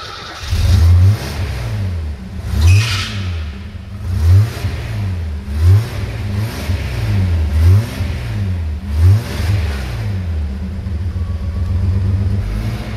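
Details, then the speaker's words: Mercedes G-Wagen from a warehouse of stored cars, low on fuel, original fuel injection replaced by a carburetor; started with starting fluid, catches and runs with uneven rev surges and steady throb between, sounds healthy. "I don't know if it'll idle on its own my baby idol I know alright it runs this thing runs AG wagon with a carburetor now guys now that is the way you fix an old Mercedes B"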